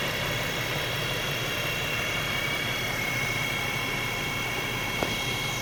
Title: '11 Xterra whining noise